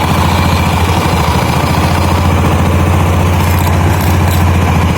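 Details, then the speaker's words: 2013 Honda Beat scooter that overheats and stalls, idling; fast, rough, uneven rattle over steady low idle from dry, dirty CVT roller weights needing cleaning and lubrication. "Jadi ini tadi tuh suara itu ya, suara pendel karena kering dan kotor juga, belum dibersihin."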